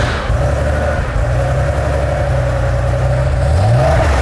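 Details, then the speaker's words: Restored Porsche 3.2 air-cooled flat-six; smooth drone climbing evenly with throttle, with no knocks, ticks or rattles. A healthy engine, used as a reference. "if you're all wondering what a healthy Porsche air cooled Flat 6 should sound like Auto 2000 has restored this lovely 3.2 to"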